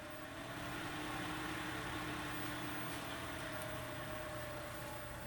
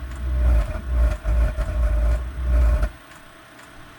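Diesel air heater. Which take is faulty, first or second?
second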